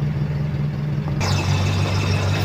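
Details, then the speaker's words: Toyota Kijang 7K carburettor engine with the customer's emission control module refitted during repair. Steady low idle with an even beat and no misses, but carburettor solenoid on/off switching is not yet confirmed, so a bulb test on the switch wire follows. "bisa didengar untuk mobil sudah bisa stasioner ya tetapi kita belum yakin kalau modul ini bisa berfungsi dengan baik on off kan selenoid karburator"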